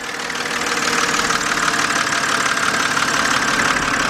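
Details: 2007 BMW 328xi at idle, listened to along the engine with the noise louder toward the rear: a light, quick ticking about three a second over a smooth hiss. Engine ticking at idle, source not yet pinned down.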